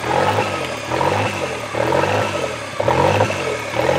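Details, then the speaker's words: Toyota 3E-TE engine hunting idle after startup, bouncing between about 1500 and 2500 rpm: note swells and sags roughly once a second; engine seems to run hot, owner suspects thermostat not opening, unconfirmed. "so yeah when it starts up it does the bounce idle between about 1500 RPMs to about 2500"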